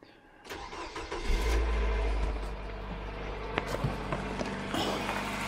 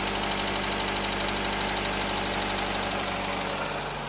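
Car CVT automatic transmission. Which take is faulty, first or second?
first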